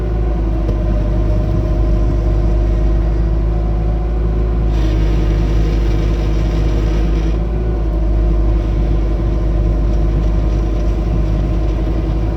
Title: Bobcat T250 making noise when turning